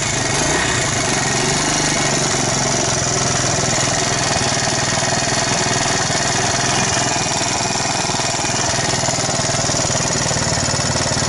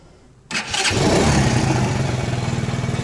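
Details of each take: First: Alpha moped engine after a rebuild with a 110 crankshaft and piston kit, 72 head and new Japanese bearings: a dull steady knock over the idle from the piston hitting an undersized head gasket from the kit. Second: Alpha moped after an engine rebuild (110 crank and piston, 72 head, new Japanese bearings): starts quickly and idles evenly with no knock. The earlier knock came from a wrongly fitted head gasket; the gasket was fixed and the valves adjusted.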